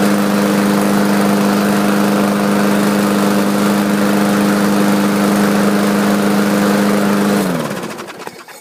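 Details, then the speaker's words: Craftsman 4.75 hp mower with a Briggs & Stratton carburettor, unused for over a year, primed and started, oil overfilled: steady even drone then a clean wind-down; runs smoothly though smoky at startup. "it did start by the way so that's a good thing"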